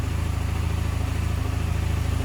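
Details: Honda Silver Wing 600 scooter, warmed up, variator already ruled out: steady idle with a quick even knock on every engine beat and a deep throb underneath; worn bottom end suspected, engine to be removed.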